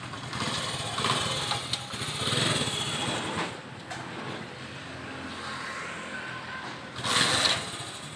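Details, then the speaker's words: Honda CD 70 2012 model, 13-year-old bike, after full service and clutch adjustment; light quick single-cylinder putter at low steady idle with some handling noise; normal idle, engine sounds healthy. "स्कस मुकम्मल हो गई है और हम lift को down करके अब हम इसका क्लच सेट कर रहे हैं और इसको स्टार्ट करके इसकी आवाज चेक कर रहे"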